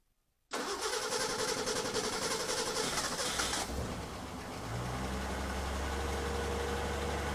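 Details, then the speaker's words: 1963 Ford Econoline pickup with new single-barrel carburetor, not yet adjusted, no air cleaner: cranks, flares loudly, then rough, slightly uneven idle with loud raspy exhaust; owner blames wrong flat exhaust gasket replacing blown donut gasket. "but uh that's a that's a win it's not it's a little loud to the exhaust gasket is not right uh it had a donut Style on it that kind of blew out"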